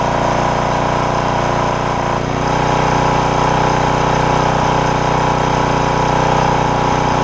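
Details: Porter Cable generator, Briggs OHV, after replacing a bent pushrod and fixing the governor that had stuck the throttle wide open; about 20 minutes running, steady constant-speed drone, faint occasional stumble or slight miss — normal governed run.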